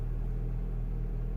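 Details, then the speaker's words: 2007 Mini One R56, 1.6 engine swapped for original 1.4, complained of cold-start shaking: deep smooth rumble at a steady fast idle above 1000 rpm when cold, no shake or stumble; healthy cold fast idle. "the revs above a thousand rpms as it does when cold"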